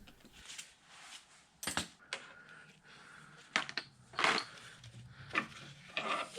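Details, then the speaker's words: Bridgeport mill 6F power feed, handle and driven side of clutch removed for diagnosis: irregular sharp clacks and crunches every second or two over a quiet feed motor; sounds like the pinion jumping teeth on the spiroid gear. "You can hear what sounds like the pinion jumping over teeth on that spyroid gear."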